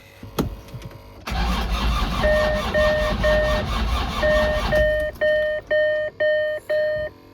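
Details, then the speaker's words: Land Rover Discovery 2 TD5 diesel, battery charged overnight, codes cleared (airflow circuit, noisy crank signal, CAN error): starter drags slowly about 3.5 seconds without firing, slow crank no start; crank sensor suspected dead, not confirmed. "Okay, it's a slow crank."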